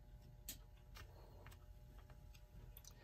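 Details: Ingraham c.1940s electric mini mantel clock, test run after repair and reassembly: faint steady motor hum under soft ticks about every half second; clock movement running normally.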